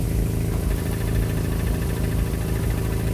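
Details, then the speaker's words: Engine idling, clutch not pressed, after greasing the squeaky clutch fork ball pivot: squeak gone but a light, steady rattle underneath remains, a worn clutch throwout bearing; pressure plate also found faulty. "so there's no longer squeak but you can hear the rattling of the okay so I'll give you an example of the bad throw berry"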